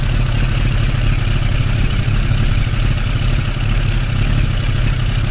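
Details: Suzuki Bandit 600 at idle: low busy lumpy, slightly uneven beat under clatter, with fluctuations in cylinder 3 that seem to keep it from pulling its weight; cause unknown.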